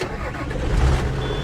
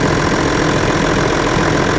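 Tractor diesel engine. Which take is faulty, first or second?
first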